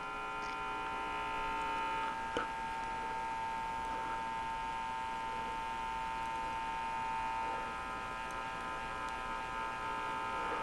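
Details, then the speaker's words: RCA Victor 12X2 tube radio after full recap, brought up to about 119 V: a steady low electrical hum with a buzzy edge persists despite new electrolytic capacitors; hum source not yet traced. "what i don't like so far is that i actually hear a hum in the radio and i replaced all the electrolytic capacitors so that should not be humming like that"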